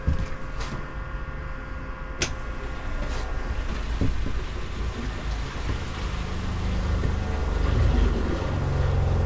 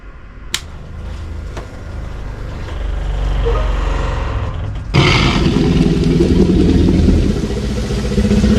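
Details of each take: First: Airstream trailer fresh water pump after replacement: low steady hum with soft regular pulse, no knocking or rattling. Old pump growled and rattled the trailer, partly from not being screwed down. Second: Airstream trailer fresh water pump at switch-on: low, loud growl with coarse rattle about four times a second; worn pump loose on its mount, also a failed internal valve letting city water overflow the fresh tank; replaced.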